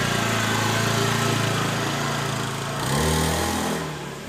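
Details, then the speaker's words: Honda Beat eSP scooter after replacing the worn-out CVT clutch shoes that caused a clunking at pull-away: steady single-cylinder drone rising smoothly on takeoff with no clunking or rattle; clutch engages cleanly, normal takeoff. "Dan ini kita tes lagi setelah kita melakukan pergantian kampas ganda yang telah habis kita tes lagi kasih"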